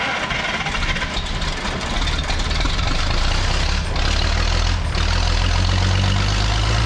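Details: Old engine brought back after points had shorted out under their post: after timing adjustment it catches and settles into a steady, slightly lumpy run that grows stronger and keeps running.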